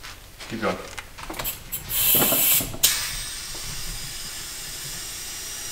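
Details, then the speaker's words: Turbo Honda Del Sol boost leak test with compressed air into the intake: steady high airy hiss escaping at a poorly seated turbo-side intake elbow, a big boost leak; turbo also leaking oil. "but another thing that I didn't expect was this elbow here as a massively you can hear it a little bit that's a big leak"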